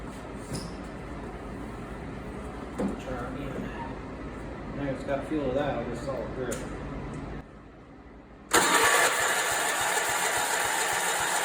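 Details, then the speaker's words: Allis Chalmers 416 garden tractor barn find, re-plumbed fuel with spark present; the starter churns steadily but the engine never catches, so it cranks without starting. It later ran on ether, which let the pump draw fuel. "well that thing won't start"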